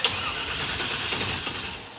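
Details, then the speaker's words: Engine with a newly installed starter spins evenly for a couple of seconds but never catches; no-start, possibly with no gas in the car. "any gas yet do we know that there's any gas in the car oh yeah there might not be any gas in this probably"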